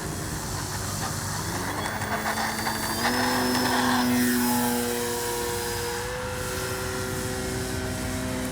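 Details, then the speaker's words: Great Planes Ryan STA RC plane, Spektrum Avian 4250-800Kv brushless outrunner, 13x6.5E prop, 4S LiPo, flying after spinner removal fixed vibration: steady motor whine rising through climb, slight flutter and noise left, far smoother than before. "oh she got a little bit of vibration a little bit of noise but nothing like she did before"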